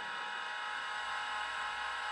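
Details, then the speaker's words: Macintosh 512K with internal MFM hard drive, powered on with no power LED: steady even high spindle whir with no seek clicks or chatter; platters spin but heads never move, owner unsure it's healthy; stepper head-seek motor may be frozen. "let's hit the power here no power led I don't know if that's a healthy sound but it's definitely spinning"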